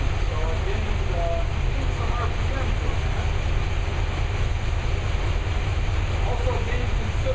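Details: New V8 with a Lunati 60140 solid cam, warm, after valve lash was adjusted hot from about .010 to the cam card's .014 intake/exhaust: steady, deep idle rumble with no obvious ticking or clatter. Normal idle.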